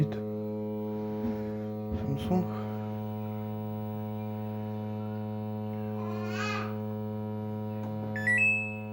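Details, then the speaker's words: Washing machine switched off yet humming: a constant low electrical hum "like a steam locomotive" with no motor or drum movement. Water sounds like it is flowing; the cause is unclear. "Как паровоз. И вода слышна, как льется как будто. Ну, да. Гудит как паровоз."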